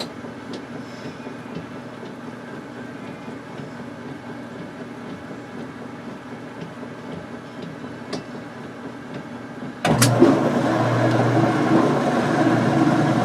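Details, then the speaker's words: Whirlpool Direct Drive washer (with warm rinse modification and 30-minute hot-enable timer) in the spin cycle with a heavy load of towels and fabric softener. The drum whirs up steadily as water is flung out, with no banging; the spin is very well balanced and normal. "watching fabric softener but quite a bit of load on it we can hear the water being swung out at the towels there we are of the most balanced I've ever seen"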